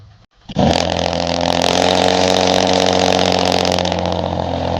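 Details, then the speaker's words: 2015 Ford Taurus Limited cold start after six months off the road, awaiting repair after a timing failure (bolt/screw) destroyed the original engine; tuned car. Quick crank, clean catch, then insanely loud but smooth steady fast idle, no ticking or knocking: healthy cold start. "Yeah, that is loud. That is loud. Oh my god, guys. That cold start is insanely loud."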